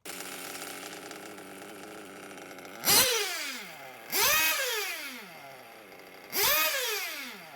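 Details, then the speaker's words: Nitro RC engine tuning: faint sagging idle that sounds about to stall, then three quick revs falling back; top end roughly set, low-speed needle still rich, about to be leaned to raise idle. "so i just kept leaning that top end to where it's sort of ballpark it's not perfect yet but it's close enough and the idle is still very low it sounds like the engine is going to stop so i'm going to lean the low speed needle"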